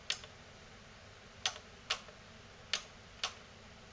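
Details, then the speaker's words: NAD C370 amplifier powered on after repair of output relay fault: six crisp isolated clicks in four seconds over a quiet hiss, speaker output relays now pulling in properly; normal relay switching, though speaker indicator light stays off. "ah i hear relay's clicking when i do that now and that relay clicks too but we don't have a speaker a light that's interesting"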